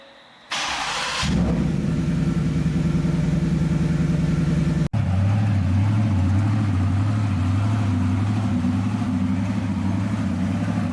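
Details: Ford F150 Coyote 5.0 V8, first start after installing billet timing and oil pump gears, oil and coolant filled: quick crank catches at once and settles into a smooth, even idle with a steady low rumble, no knocks or ticks.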